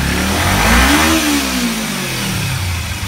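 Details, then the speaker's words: Kawasaki Ninja 250R race bike after changing the plugs and cleaning the carburetors, earlier dying off throttle and bogging: the twin revs up smoothly and settles back without stumbling or bogging. "Now she's running. It's not bogging anymore. That's what it was."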